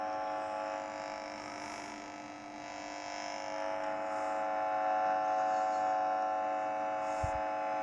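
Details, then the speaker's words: Signal sniffer held near home cinema cables with sensitivity turned up, indicator light glowing: steady, even low hum with fixed buzzy tone that never wavers; picking up 50 Hz mains field. "Listen to that, 50 hertz. That's good bass. Never heard anything like it."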